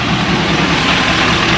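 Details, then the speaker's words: 2024 GMC 3500 cab-chassis with the L5P Duramax diesel, warm before an oil change: steady, even diesel clatter at idle with no knocks or misses. It sounds healthy. "We're going to change the oil. Boy, she sounds good. The more I love and a good sounding bonita."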